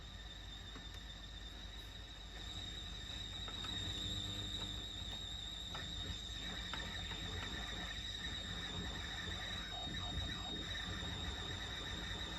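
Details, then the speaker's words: Heathkit AJ-41 tuner warming up on a variac at about 70 V while capacitors re-form: constant hiss, crackle and loud hum with a thin high whistle, worse on AM. Arcing or a noisy AM front end suspected; front-end alignment later improved sensitivity. "it's a very loud hum Okay so sure if this noise is because of uh some kind of arcing inside some components or if starting to amplify Statics but I really believe okay on am we have even worst condition"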